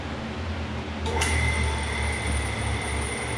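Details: Jet metal-cutting band saw started after the drive belt was tightened by pulling the motor back: a steady low motor hum with a clean, even whine, much quieter than its earlier raw sound; belt running right, normal.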